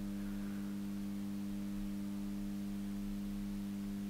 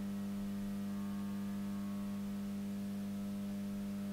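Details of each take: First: JSI grid-tie solar inverter (2000TL/1500TL) bench-tested with PV input over 100 V, delivering about 270 W AC: steady clean electrical hum with a few fixed tones, working normally under load. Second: JSI-1500TL grid-tied solar inverter bench-tested on about 100–125 V DC through a variac: a steady low transformer hum with a faint buzz as the variac creeps up. The inverter tends to draw too much power from the variac; the cause is unclear.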